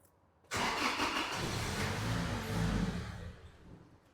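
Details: 2006 Toyota Tacoma 2.7, lean (P0171), with a new Hitachi MAF reading 0.9 g/s: engine catches at once, runs briefly without settling to steady idle, then fades and dies; stalling from faulty MAF sensor.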